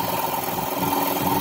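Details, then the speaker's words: 60-gallon air compressor with 3-cylinder 1250 rpm pump, newly installed 5HP 3450 rpm 220V motor replacing one with suspected bearing noise, pressure climbing: even steady drone with soft pump pulsing, no grinding; normal running, much quieter. "that electric motor right there this motor is a lot quieter than the other one and that pump is a lot quieter than i thought"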